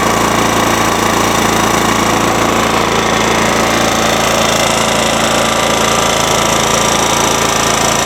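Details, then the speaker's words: Ransomes walk-behind mower with a Kohler 14 hp engine held at high revs: steady, even drone with no misses, knocks or surging; running healthy. "So anyways, you can hear it runs well. Just gonna rev it up. Running good. Running good."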